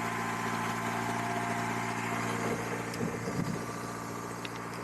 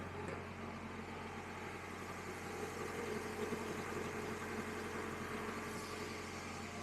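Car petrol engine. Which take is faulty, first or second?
first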